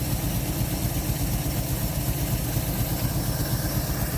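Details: 1948 Chevy inline six, off the road since 1968, just restarted and pulling from the tank on very old gas: steady, even low burble with unbroken rhythm and no knocks; running like a sewing machine, normal idle.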